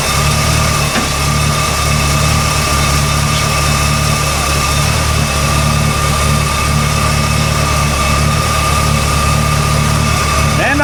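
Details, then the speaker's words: 1972 Oldsmobile 442, low mileage, apparently Oldsmobile 455 V8, idling after alternator refitted: steady smooth low rumble, no knocks, squeals or belt chirp; generator light out, belt running correctly, charging. Normal idle. "so my generator light is out now my belt is running correctly"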